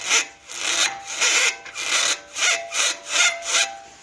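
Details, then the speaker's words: B7 Audi A4: rhythmic dry creaking about once a second when turning, from worn original sway bar links; noise disappeared with links disconnected from the sway bar. "b7a4 real bad creaking noise when turning i uh disconnected the sway bar links from the sway bar turn the wheels noise went away so these are the sway bar links"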